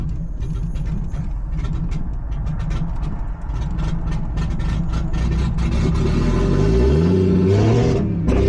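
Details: Nissan G35 with 1JZ swap on ECUMaster EMU Black, 900cc injectors, car long sitting; uneven stumbling idle, rpm surging before nearly dying, misfiring; very old, bad-smelling fuel suspected, cause unconfirmed.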